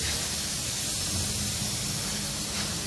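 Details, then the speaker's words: Refrigerator capillary tube cut during repair before vacuuming and recharging: steady sharp hiss of pressurized, flammable refrigerant gas escaping, after which air enters the system. "এটা দেখে শব্দ হচ্ছে, অর্থাৎ gas বেরিয়ে আসছে। আপনারা শুনতে পাচ্ছেন যে শব্দ হচ্ছে। এখন এখানে যে গ্যাসটা আছে, গ্যাসটা বের হচ্ছে।"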